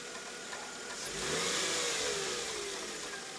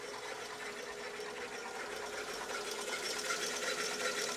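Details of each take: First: 2000 Mercedes E320 at start-up, around the idler pulley being replaced: an initial noise that fades away, then a quiet, steady idle with a faint belt-drive whirr that dies out over a few seconds; engine runs evenly, normal idle. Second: 2000 Mercedes E320 at start-up during idler pulley replacement: light, fast, fairly even chatter with a hissy edge over a quiet idle right after start, noise seems to fade; source undetermined.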